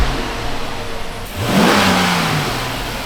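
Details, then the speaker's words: Dodge Magnum R/T V8 after replacing an O-ring, idling steadily around 800 rpm, not yet warm, in park, then one clean rev; sounds healthy apart from a belt squeal. "That sounds good. Like that sounds like how this car should sound."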